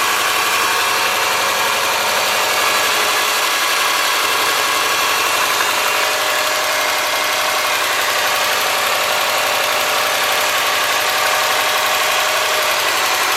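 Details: '03 Subaru Forester boxer, 178k miles, ~150 miles after head repair for a dropped valve guide, cold idle: fast light ticking from driver-side front cylinder exhaust valve, clearance .029 vs about .010; adjustment removed the tick.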